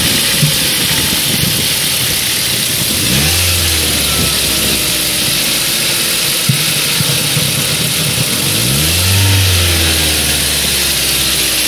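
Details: 1.8 Duratec engine revving up and down with a light rattle, suspected manifold flaps, and occasional pops whose cause is unknown.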